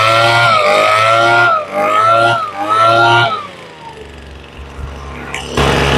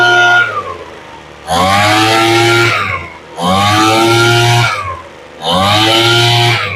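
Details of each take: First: Craftsman two-stroke blower just after a carb rebuild, on full prime and full choke, not yet warmed up: a high buzz that surges and sags every second or so with a slight stutter; lean high-speed mixture, to be adjusted. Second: Craftsman two-stroke leaf blower after carburetor rebuild, warmed up, high-speed mixture screw turned up slightly to cure a stutter; four clean rev-ups to steady high buzz and back to idle, running smoothly.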